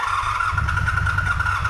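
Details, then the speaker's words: 1985 Honda VF700 Interceptor V4, bought last year and unrun for an unknown time, given a spritz of starting fluid: a steady starter whine over a few rough firing pulses, it catches briefly but will not keep running; owner suspects empty float bowls and gummed ethanol fuel. "Oh. Okay. She fires. All right. Let's see if she'll run. No."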